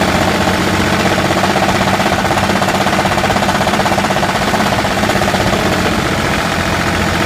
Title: Engine knock